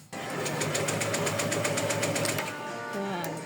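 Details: Honda PCX160 scooter cranking but not starting: steady starter cranking, about four beats a second, never catching; new battery and spark plug didn't help; failed fuel pump.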